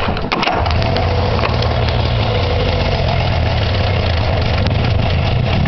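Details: Arctic Cat Puma two-stroke after the exhaust system was reassembled to fix an exhaust leak, started on choke: strong, steady burble at an even idle without puffs or stumbles; running healthy.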